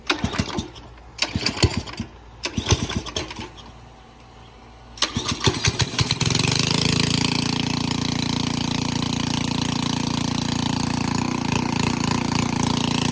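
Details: Very old pressure washer that wouldn't start, water running through the gun: several pull-cord bursts with no catch, then it fires at about six seconds and runs steadily. Cause suspected, not confirmed.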